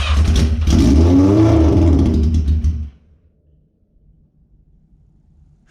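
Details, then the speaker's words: 1981 Yamaha Maxim XJ650 motorcycle, neglected, first start after cleaning and reassembling the carbs, with four-into-one header: catches and revs in a smooth even rumble for a few seconds, then shuts off; runs healthy. "oh that's awesome and there you guys have it i honestly cannot believe that that thing runs"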